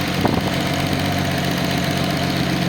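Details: Nissan 280ZX L28 engine on a test stand, narrowband O2 sensor on a voltmeter: a smooth, even idle rumble with no misses, hiss or knocks. Vacuum is solid at almost 20 inHg after the earlier smoke-tested leak was resolved.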